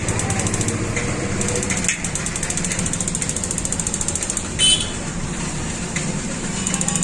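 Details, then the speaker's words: 6-litre gas geyser that would not start: rapid, even igniter ticking over a low hum as the sensor's magnet is slid up and down, and ignition works. The magnet inside the sensor is likely jammed by dust or debris. "जैसे ही मैं इस magnet को ऊपर नीचे slide कर रहा हूं तो हमारा यह जो फंक्शन है पूरा प्रॉपर तरीके से काम कर रहा है"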